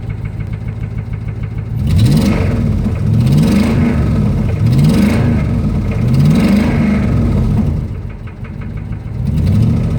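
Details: 2005 Ram Hemi V8 revved: deep knock about four per second rising and falling with each rev, heavier under throttle; rod knock from worn rod bearing.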